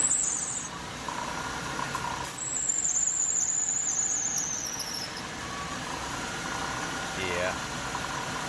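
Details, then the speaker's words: 1998 Chevy Venture van, engine running after a pressure wash: thin high squeal in bursts; first suspected water pump bearings, but spraying the belt with PB Blaster stopped it, so the serpentine belt is slipping and the tensioner seems weak. "the belt that's the belt making that little freaking fountain and it sounds like my tensioner down there is not not really doing that great"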